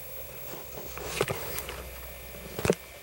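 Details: Commodore 1541-II disk drive after repair (missing disk lever fixed, speed adjusted from 320 toward 310 RPM), loading a program: quiet whir with a few sharp head clicks as it steps and reads; loads normally.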